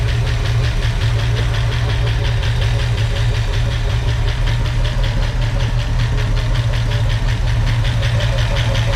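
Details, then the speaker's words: 1965 Ford Mustang V8 on first start with used, noisy lifters: lumpy, uneven idle with light ticking and an occasional miss, caused by ignition timing too far advanced; sounded much better once reset to about 8–10° BTDC. "sound [Music] better better yeah sounds much better it was too far Advanced I set it about [Music] 10°"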